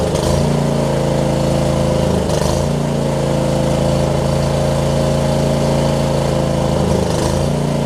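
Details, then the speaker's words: John Deere LX279 riding mower, liquid-cooled small twin, started after cranking with an empty carb bowl, hours unknown: rough at first, then a steady even drone holding speed with no stumbling or surging; running fine. "Didn't like it when we first cranked it up. Wow, cranked it up, but seems like it's getting better. It might just be a characteristic of this liquid-cooled engine too."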